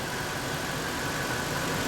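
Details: Ford F150 4.6L V8 (code P0402) running after EGR vacuum diagnosis: smooth, even idle with a steady low rumble and no misses or stumbles; engine now running cleanly.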